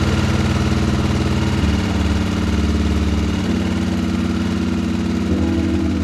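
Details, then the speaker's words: BMW F650 motorcycle with blown head gasket, idling about 8 minutes after adding head gasket sealer to the radiator, cooling fan on: lumpy, uneven single-cylinder idle struggling to hold steady. "and you can hear it struggling a little bit I'm starting to think that the whole process in s gaset is happening at this moment"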